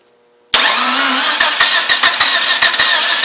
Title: 1g dsm no start